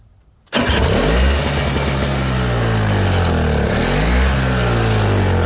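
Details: Toro CCR 3650 two-stroke snowblower after primer bulb replacement, electric-started after priming: starts quickly after a short silence, settling into a steady, even drone rising and falling slightly with throttle; running healthy.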